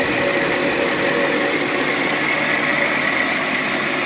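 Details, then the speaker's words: BMW 540i M62 V8 after timing chain guide replacement without special tools, one week of driving: steady smooth idle with no ticking or chain rattle, no check engine light or oil leaks, runs like new; normal idle. "there's no oil leaks i checked after seven days runs like new"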